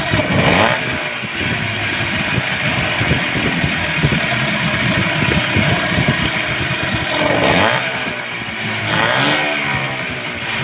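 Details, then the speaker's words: Yamaha 15 hp outboard restarted after replacing a weakened ignition coil and fixing a flooded carburetor, suspected stuck float needle. It had been hard-starting and lacking power. It fires and settles into a steady, even beat with no misses or stumbles, running normally. "itu dia tadi mesinnya sudah mantap tidak susah hidup lagi Kemudian tenaga sudah bagus diakibatkan karena 10 pengapian yang menurun tekangannya kemudian bagian karburator banjir sampa menyebabkan mesin ini susah hidup dan tidak bertenaga"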